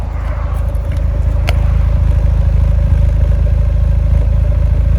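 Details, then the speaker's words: Fiat 124 Spider 1.4L MultiAir turbo petrol engine, heard from outside at idle: steady, even pulse with no stumbles after the A/C was switched on then off; misfires gone and exhaust smooth, on a car with suspected camshaft problems. "So if this couldn't get more confusing, idle is smooth, exhaust is smooth, misfires disappeared. All I did was literally turn the air on because it was freaking hot as I was trying to turn stuff off an"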